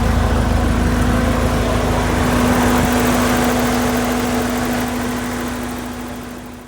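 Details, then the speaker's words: Porsche 944 at operating temperature, checking the radiator cooling fans: steady whoosh of air and constant hum over a smooth warm idle, then winding down; fans working normally. "As you can see, I've got the engine up to temp, and I'm just checking that the fans work, and they are."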